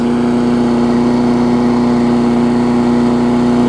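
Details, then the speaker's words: Craftsman 22-inch big-wheel push mower, Briggs classic single-cylinder engine, 2008 model, just started after safety cable repair: steady, high-pitched fixed drone; running a little fast, which the owner blamed on a warm spring. "cranked up, running pretty good. Might run a little fast, I think it's just because the spring is warm."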